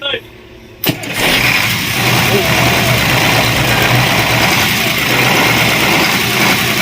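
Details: Cat 3208 starboard marine diesel, a no-start after the plunger and barrel stuck from 18 months of rusty, dirty-diesel corrosion. After the fuel plunger and barrel repair, a short crank catches at once and settles into a steady, even idle with no misses or knocks.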